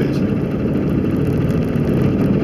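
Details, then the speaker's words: 2003 Jeep Grand Cherokee Laredo, 4.0 inline-six petrol, 291,000 miles, driving in 4WD: steady low dense growl over engine and road noise that sounds like a wheel bearing. "that loud growling most people would say that's that's probably wheel bearing"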